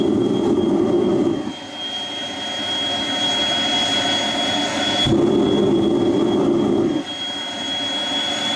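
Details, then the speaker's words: Homemade jet engine (gas turbine) built from a turbocharger, propane-fuelled student project from May 2005: steady high turbine whistle with a rough roaring burst each time the afterburner lights and cuts out; normal run with afterburner. "you'll be able to push button the afterburner I'm sure you heard the tone change once afterwards started going"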